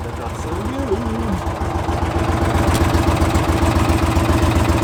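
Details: 2016 John Deere Gator XUV 550 4S project, cranking with foot on brake: steady chugging of three to four beats a second that keeps going without catching; hard start, prolonged cranking.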